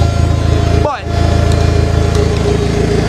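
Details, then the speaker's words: Car's first start after rebuild, with external fuel pump and exhaust open after the downpipe: steady, smooth idle through the loud open exhaust, no misses or knocks. Ran 10–15 minutes, made excellent vacuum, no fuel leaks. Normal idle. "she ran healthy made excellent vacuum no fuel leaks"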